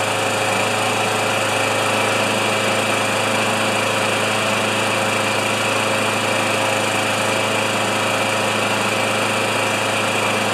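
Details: Older Murray mower with 158cc Briggs & Stratton Classic engine, drill-started: constant, even buzzing run with no surging, sputtering or dropouts; running steadily and healthily.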